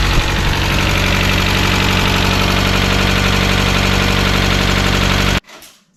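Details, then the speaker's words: 1996 Mazda Miata after replacing worn lifters and fitting new NGK plug wires, cold start on a jump: a brief tick at startup that quiets once oil reaches the lifters, then an even, healthy idle. "so as you heard it start to tick a little bit off the bat which is what Miatas do but it quieted down when it got oil in it which uh that's what they're supposed to do"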